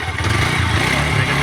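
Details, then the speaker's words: TVS Apache RTR 160 4V, which had a bad engine noise and pickup problem, after tappet setting: even idle that picks up smoothly into revs with no tapping; the valve train sounds healthy. "गया तो आप देख सकते हैं कितना मीठा sound निकल चुका है गाड़ी में"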